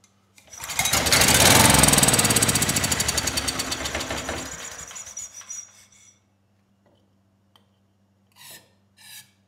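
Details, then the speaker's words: Ridgid 5700 W generator, Yamaha MZ300 engine, dump find that would not start; after spark plug regapped to 0.030 in, brief run with test light connected, light finally came on, generator viable: quick even crackle, winds down after about five seconds; spark restored. "there we go i was starting to get worried but the light finally did come on so this generator is viable"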